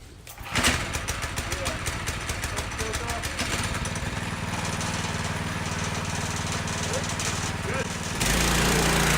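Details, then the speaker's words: Full-suspension go-kart first run, small engine started choked after a pull: fast, rattly metallic slapping over the running engine as the drive chain strikes the chain guard; guard to be removed. "Good first run, but the chain's hitting something, the chain guard."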